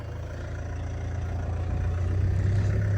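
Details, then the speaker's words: Range Rover (possibly 2.0 L, automatic) bought from Copart with front-end impact, coolant low or run out, being driven onto the driveway: deep, uneven idle pulsing and swelling as if trying to stall; rough idle, cause unknown. "it's all right hear it like trying to stall kind of"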